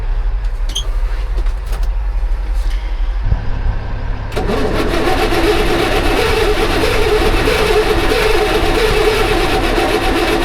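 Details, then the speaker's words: Auction heavy diesel machine with possibly low batteries and no oil on the dipstick: about three seconds of laboured cranking before it catches and runs rough; hard starting, ether to be tried, cause unclear. "all right this one's clearly not loving life nearly as much let me grab some ether"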